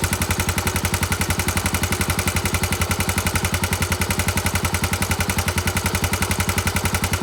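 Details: Honda GB250 Clubman, 40,000 km: hard sharp rapping about three to four times a second, very regular and loud over the single's beat; abnormal engine noise, cause unknown.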